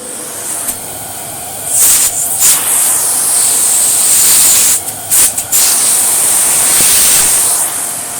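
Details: Swedish-made 2nd-generation Electrolux Dolphin Z2230A vacuum after full refurb, motor's dry brass-bush rear bearing now greased: smooth, even high rush of air, no grinding or squeal. Runs normally apart from a slight wind-down.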